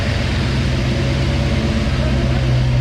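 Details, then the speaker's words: V8 coupe just fitted with an Anderson B21 camshaft, at first startup after the distributor was moved a tooth: steady idle with a fast, light ticking over the rumble; hydraulic lifters not yet pumped up, expected to quiet down. "Lifters have to pump up. That's the noise that you're hearing. Should quieten down here in just a minute."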